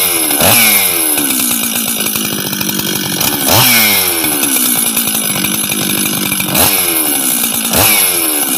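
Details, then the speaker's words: Husqvarna 385 chainsaw at first start after reassembly, during the first heat cycles: crisp two-stroke buzz with clean, even throttle blips about every three seconds. It idles and runs well. "right work sounds good idles good good"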